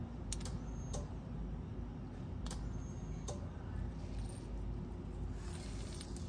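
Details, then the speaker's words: 420A engine, crank no spark no start, engine not running: five or six sharp irregular clicks over steady low hum; clicking source in engine bay unknown. "something else is clicking as well in the engine bay I don't know what it is but"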